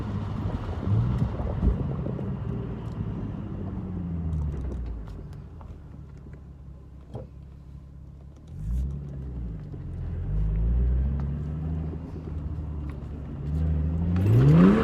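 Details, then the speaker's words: 2008 Infiniti G37S with VQ engine, after solid rear differential bushings: engine pulls smoothly up and down through the revs with a steady rumble while driving; no diff rattle or clunk from the rear. "drive an ice until i get to a quieter area sounds good i got no diff rattle no diff clunk"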